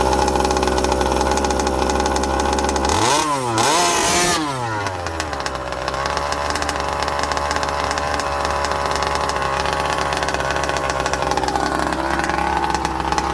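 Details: Rovan Baja petrol RC buggy, first start after rear-end repair with new roll cage, exhaust and spur gear. Small two-stroke buzzes steadily, blips briefly, then settles to an even, unbroken run; engine running fine.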